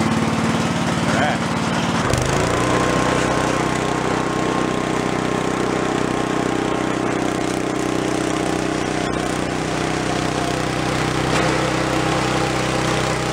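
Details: Gilson snow blower small engine, carb previously cleared of acorns, started with choke and throttle after electric starter repair: catches about two seconds in and settles into steady even drone without misses; runs well, though throttle slowly vibrates down from full.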